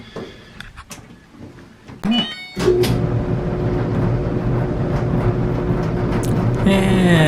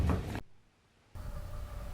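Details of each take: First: 2014 Electrolux/Frigidaire clothes dryer after replacing a blower fan that had broken away from the motor shaft: a few clicks, then steady even hum, no knocking or squealing. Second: 2014 Electrolux/Frigidaire clothes dryer running with heavy low rumble and hollow whirring hum; blower fan has broken away from the motor shaft, fixed by replacing the blower fan.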